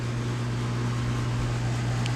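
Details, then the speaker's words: 2012 Bryant Legacy Line 2.5-ton AC condenser running on a 66°F October afternoon: steady low electrical buzz over the fan hiss, worsening since about mid-August; cause unknown; condenser buzzing. "This thing sounds like I feel like this thing has kind of sounded worse over the course of the season. You know, like how you hear that buzzing right now."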